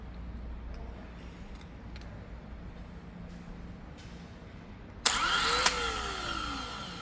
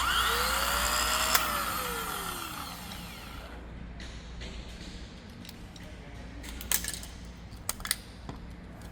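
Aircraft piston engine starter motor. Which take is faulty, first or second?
second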